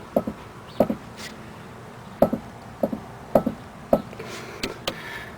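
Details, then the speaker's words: 2005 Chrysler 300C, right upper ball joint, car on jack stand: sharp hollow clicks each time the suspension is pushed down, showing play; dust cap missing, joint likely dried out; worn ball joint, fixed by replacing upper control arm. "Alright guys, just to give an idea how you could tell that the ball joint, it's pretty bad. Look at this. I don't know if you can hear this. See the clicking noise?"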